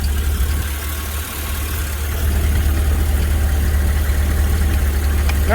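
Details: GMC with 6.0 V8 after throttle body replacement, warming up at idle: steady, even idle with deep constant drone, no tapping or clattering; earlier throttle body clatter gone, normal idle.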